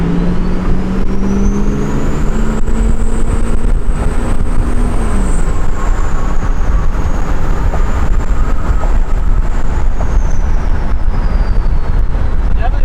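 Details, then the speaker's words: Ford 6.0 Powerstroke diesel with new compound turbo kit under boost on road: strong whistle climbing and falling over deep roar, no surge or flutter; about 30 psi versus roughly 20 stock, more top-end pull; healthy compound setup. "They just come up to like a certain RPM and then they just chill. That was a cool template. That sounds sick. Sounds really good."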